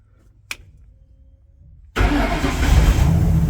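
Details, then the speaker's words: Two-tone truck, first start after final wiring of the harness to the ignition: a brief click, then it fires first try and settles into a rough, uneven idle. The intake is unplugged, causing major leaks. "woohoo yay runs sounds like poo poo because we don't have any of the stuff plugged in um for the intake and all that kind of stuff so we got major leaks and whatnot"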